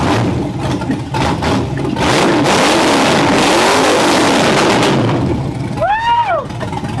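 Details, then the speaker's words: 1957 Chevy Bel Air with LS engine, first run after nine-day restoration, warming up: loud V8 blipping up and dropping back cleanly through open straight headers, firing evenly with no misses, running normally. "I didn't want the exhaustion I want to run those straight headers sounds so good I'm so happy"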